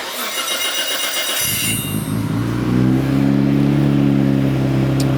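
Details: Built Nissan RB26 in an R32 GTR (ported head, 260 Tomei cams, new loud exhaust), already warmed up: brief crank, then steady, slightly lumpy idle around 1,000–1,100 rpm with an even beat. Normal idle.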